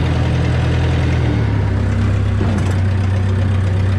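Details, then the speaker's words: Well-used Bobcat 753 skid steer, needs a new battery: loud raw diesel clatter with a harsh, booming low exhaust note and no muffling; loud exhaust because it needs a muffler. "So as you can hear, it needs a muffler in it."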